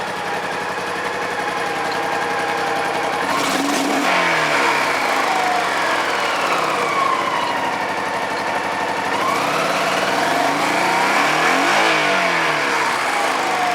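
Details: Honda Pacific Coast PC-800 warming up after refusing to start for months (cranked too long with the kill switch on; owner suspects battery, relay or connector): steady, even running with clean throttle blips, no knocks or misses; healthy.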